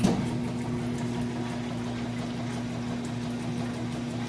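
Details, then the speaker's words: Whirlpool top-load washer with a full load. A steady low hum with a soft back-and-forth churn and no knocks or scraping; the agitator pulls the load down normally. "So you can hear it agitating there. And that agitator essentially sucks those clothes down."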